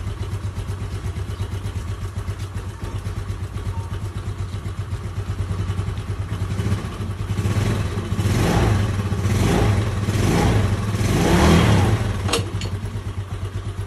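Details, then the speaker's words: Rebuilt Yamaha Fino scooter engine after carburetor plastic cover removed and wild-revving throttle cable disconnected: even, steady idle with a few throttle blips, clean firing, no clatter; engine runs fine. "So paandarin natin para makita nyo kung all goods na ba yung motor."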